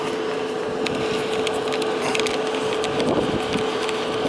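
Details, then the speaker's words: New gas dryer that struggles to dry big loads of towels, exhaust vent disconnected to check for a blockage: a steady, strong rush of air with a faint constant hum and no choking or flutter. Normal exhaust airflow, vent unobstructed. "turn it on and we'll see if it blows out yeah we're getting a good flow here"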